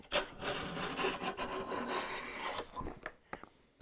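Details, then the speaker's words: Stanley hand plane (compared against a WoodRiver; a Stanley #5 is listed), used for the first time in a long while. Its thin blade is hard to fine-tune and hard to pull a shaving with. Rough, stuttering, juddering scrape instead of a clean hiss: blade chatter. "It's hard to pull a shaving off of it. Did you hear that chatter? That's that blade."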